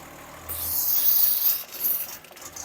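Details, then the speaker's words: Holden HJ wagon with ongoing brake problems, engine running in park: the vacuum hose is pulled off the brake booster and a sharp hiss swells and fades over about a second. The engine is building vacuum fine, so the brake fault lies elsewhere. "now when I pull this hose off it should make a wish noise and if it doesn't make a noise it's not building vacuum so here we go"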